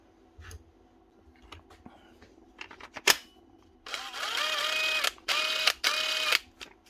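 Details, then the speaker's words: Dewalt cordless tool after washing out the dirty trigger switch: motor whines up and down smoothly over several trigger pulls, following the trigger cleanly with no cutting out; normal variable speed operation. "That's her. Simple as that. Going through the speeds again, as it should."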